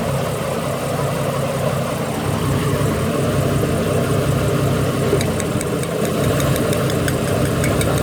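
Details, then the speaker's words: Ford BA Falcon inline-six at idle before replacing ignition coils: uneven idle with an irregular stumble and skipped beat every few seconds, a misfire from failing coils; front three coils are old factory units, back three already swapped. "What we're going to do, I'm actually going to start it with it missing. Pull a plug and see if it still stutters. It should stop stuttering."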